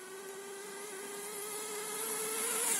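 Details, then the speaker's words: HPI Nitro MT with Nosram .18 RS Evo engine in break-in and tuning: high steady buzz with faint burble, idling nicely, low-speed needle untouched, high-speed needle still needs leaning. Rich high-speed mixture. "it seems to be idling nicely can still hear it burbling a bit i haven't touched a low speed needle yet definitely still needs a bit more off the high speed i think"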